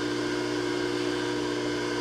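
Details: Bridgeport J-head mill after locked sheave repair and new belt, 3-phase, spindle being brought down in rpm: steady even motor hum, constant tone, no knocks or rubbing; smooth at low speed.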